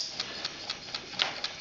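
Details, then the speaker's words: Small coaxial hot air engine, displacer rod through the piston; light even ticking about four times a second, slight squeak from glass tubes touching, no stumble: normal running. "but actually it's quite nice to hear it run to see a run slowly you can appreciate more of the mechanism it runs quite quickly"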